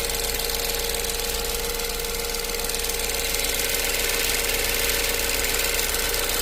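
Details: 2015 Ford Focus at idle: fast, fairly even light ticking about two or three per second over engine hum; source unknown.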